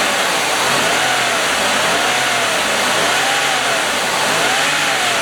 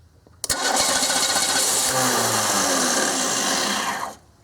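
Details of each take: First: 1995 Oldsmobile 88, 3800 Series II V6, after a $20 junkyard module fixed the no-fuel-injection no-start: a steady, even idle with no stumble or knock; running as it should, with a timing chain still due. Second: 1995 Oldsmobile 88, 3800 Series II, crank no start: starter churns evenly for about three and a half seconds without catching; fuel and spark present but no fuel delivery, computer/control problem suspected.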